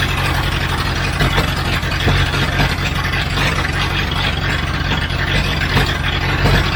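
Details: 1976 Broderson IC70 crane, abandoned several years, started after a cleaned fuel tank: steady, deep, even idle with a low rumble, no knocks or misses; oil pressure confirmed, gauges doubtful, and it would not shut off.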